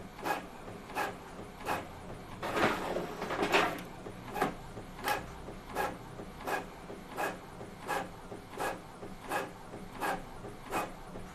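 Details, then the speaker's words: Epson L18050 inkjet printer printing with quiet mode off: even print-head passes about every 0.7 s, soft whirring swishes and brief paper-feed rustle; nearly identical to quiet mode on, normal printing. "Ya, ini kalau Epson L180/50 nggak ada bedanya nih. Mau yang on, mau yang off, quiet modenya hampir sama."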